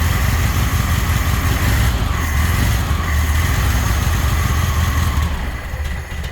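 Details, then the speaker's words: 1979 VW Super Beetle air-cooled flat-four, just converted from EFI to a new carburetor with a new fuel pump. Untuned as installed. Steady, slightly lumpy low idle with no knocks; running, but very rich. "well this is this is as installed it's very rich but it is running"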